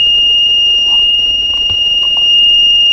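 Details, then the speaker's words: Bros 400 W computer power supply on a PSU tester: steady piercing high beep, the tester's warning of an out-of-range voltage; unit also has a high-pitched whine, suspected from capacitors or coils. "ilgili bir uyarı test cihazımızın uyarısı bu güç kaynağına bir sıkıntı var"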